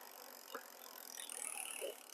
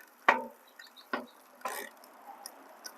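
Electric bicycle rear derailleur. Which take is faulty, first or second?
second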